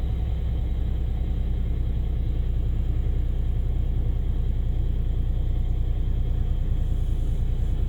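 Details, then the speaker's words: Kia Ray with 338,000 km in winter, cold engine under acceleration: deep, loud, tiller-like chugging rumble at about three beats per second, which fades once warm. Cause not found. "주행 중에도 엑셀만 밟으면 소리가 꽤 크게 나고 멈출 거 같아요 차가 조금 달궈지면 그래도 소리가 안 들리게"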